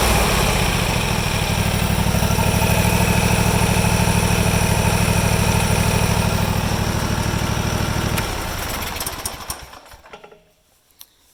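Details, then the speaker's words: Deere GT235, 1200-hour air-cooled Kawasaki, at wide open throttle after governor adjustment following carb work for lean surge; steady, even full-throttle roar with no hunting or surge, then winds down and stops. "You want to do your mixture first, and then your throttle stop, and then your governed idle, and then your wide open throttle. That's kind of the order. I'll go to wide open throttle just so you guys can see that there."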